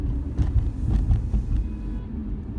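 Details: 2013 Infiniti G37S coupe driving straight, in-cabin: deep, low, fairly steady droning hum starting around 30 mph and worse at 50–55 mph; dealer blamed the tires, owner doubts it; source unconfirmed.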